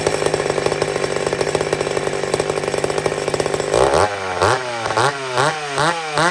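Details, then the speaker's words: Old McCulloch Super Pro 70 chainsaw cutting wood: steady strong buzz under load without hunting, crisp clean revs between cuts. Normal cutting, holds speed. "don't look for perfection here look for power in the cut the gurgle you know what i mean look for the things you need"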